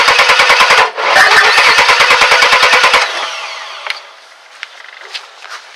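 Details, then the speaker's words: 2001 Chevy S10 4.3 V6 no-start: fast uneven cranking bursts about three per second for three seconds, no catch, sounds almost out of time; cause distributor cap shorting. "and there you go you can hear that it sounds like it's almost out of time"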